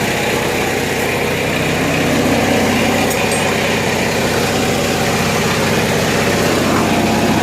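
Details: Generator on 1963 GM PD41106 bus conversion powering air conditioning: loud even drone, no surging or misses, holding steady speed under load; running well.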